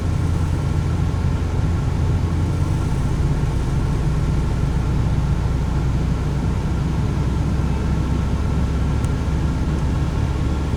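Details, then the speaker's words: 1995 Toyota T100 V6, almost 300,000 miles, after alternator replacement: engine held at steady raised revs with a smooth, even drone, no misses or rattles; running fine. "I'm slowly walking it up to speed. All right, I'd say it appears okay."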